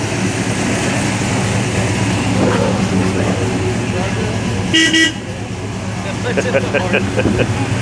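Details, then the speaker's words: 1969 Plymouth Roadrunner with the engine running: its horn gives one short, loud honk with a clear, steady tone; the horn works normally. "It also does have the BB horn. That's it right there. Oh, okay. And it does work."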